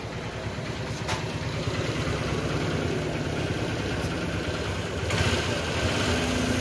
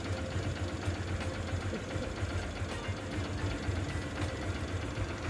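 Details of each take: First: Honda single-cylinder bike just after a full engine rebuild and reassembly, not yet run in; steady, slightly lumpy idle putter with no knocks or rattles, expected to smooth out once run in. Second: Honda Shine single-cylinder bike after a full engine rebuild, engine otherwise very smooth at steady idle: light quick metallic ticking about four a second, from valve clearances deliberately set loose; tappet tick.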